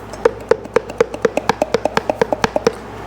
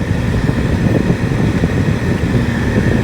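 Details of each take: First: Removed blower motor from a 2006 Jeep Liberty CRD turned by hand near the microphone: sharp hollow clicks about four times a second from shaft play; it squealed over bumps, the new one has no play. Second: 2006 Jeep Liberty KJ CRD, after replacing climate control blower motor that locked up and squealed above speed 2: steady, even rush of air with no rattle or squeal; new blower motor running normally.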